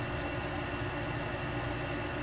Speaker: all right you see how that runs this is the part that pulls the cable through oh why is that making noise like that H that didn't do that before